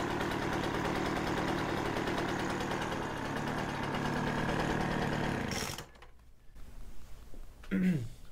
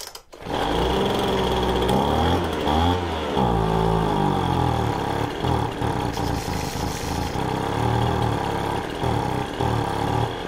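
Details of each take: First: Poulan Pro 25cc leaf blower that started then stalled, after carburetor and fuel system cleaning, warming up in a cold shop, no air cleaner or fuel filter: smooth, even two-stroke idle without surging or stumbling; runs fine. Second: Poulan Pro 25cc leaf blower, cold shop, fuel filter disconnected in tank, possible dirt in carb: fires after a short crank on primer, then hunts and surges and won't settle; not drawing fuel from the tank, fuel starvation.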